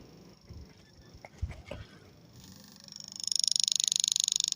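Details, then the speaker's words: China-kit CRT TV power supply with low voltage, about 11 V where 15–16 V is expected: rapid repeating "kit kit kit" tick, three to four a second with a hissy edge, supply trying to start and cutting out; set won't turn on. "आवाज सुनाई दे रही होगी कि kit kit kit की जैसे आवाज आ रही है ठीक है हमारा यह सेट जो है ऑन नहीं हो पा रहा है"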